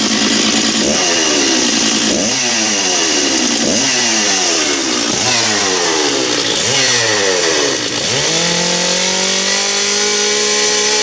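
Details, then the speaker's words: Stihl MS660 big chainsaw, not run for a while, blipped through several sharp rev-ups then holding a steady high scream; really loud, crisp, strong and healthy. "okay the big ms660 nice saw I like this one it's really loud this is a saw you don't mess around with that's for sure"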